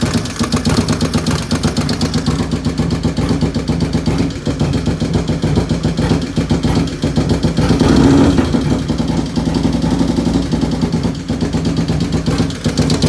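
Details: 95-inch V-twin with 510 cams at idle: a lumpy thump with a sharp, fast ticking on top, a valvetrain-type tick with the source not pinned down.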